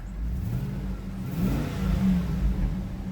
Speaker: yeah she's a good she's a good runner